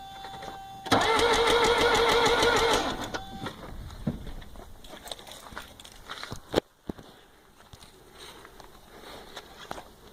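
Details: 1982 Mercedes 240D diesel: strong starter churns about three beats a second and never catches; crank no start, not fuel related, glow plugs hot, injectors spray, seemingly no compression; owner suspects valve adjustment or jumped timing.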